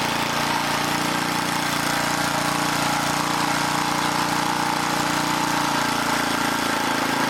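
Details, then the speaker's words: 1980 rototiller small engine running; pitch drops and climbs by itself every few seconds as speed hunts; throttle link is bent and hanging up, to be straightened. "this link is hanging up that's part of our problem why it keeps going crazy because somebody was in there bending on it got it all distorted"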